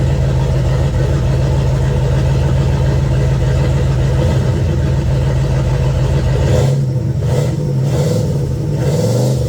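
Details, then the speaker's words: Pontiac 400 with boost (now 10 psi) after ring, piston and bearing replacement, accelerating on the road: strong pull, then a brief dip and hesitation about two-thirds through. Longstanding stumble, absent when shifted manually. "That stumble, but it always had it. Doesn't do it when you shift it manually. No stumble."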